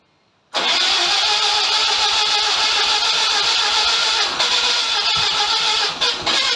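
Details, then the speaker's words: Mazda FC RX7 rotary, freshly oiled and smoking as oil burns off: loud, fast, buzzy idle that stays high and won't come down; owner believes a decent vacuum leak remains, annoying buzz still present. "that's about as low as i can get the idle i'm pretty sure i've still got a decent vacuum leak"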